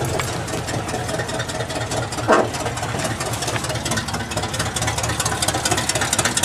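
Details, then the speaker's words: 1978 GMC K25 V8, first start after sitting for years: loud, raspy idle with uneven chuffing and a sharp pop near two seconds; it runs rough because one exhaust header is connected and one is not. "also part of the reason why this thing sounds like a dying tractor is it has one header hooked up and one not"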